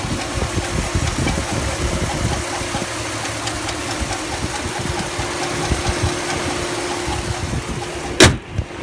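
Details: 2005 Chevrolet Silverado 5.3L V8, 138k miles, idling: steady thin squeal from inside the engine, still present with serpentine belt removed; two mechanics diagnosed a bad main bearing, not confirmed by teardown, others suggest lifter or cam.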